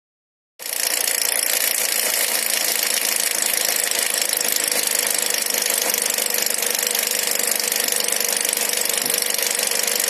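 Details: Nissan X-Trail MR20 engine at idle: fast, fairly even ticking knock, roughly three or four per second over a hissy engine note; cause not yet pinned down.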